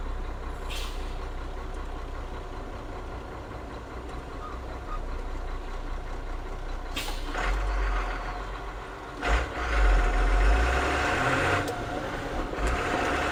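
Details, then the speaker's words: Truck with Ford/Brazil 6.6L mechanical-injection turbo diesel, no intercooler, splitter working: engine pulling steadily, then a clunk and short whoosh at each gear change; shift noise, cause unclear, owner unsure if normal. "so a little bit of scary noises i don't know what it's supposed to sound like when it shifts so"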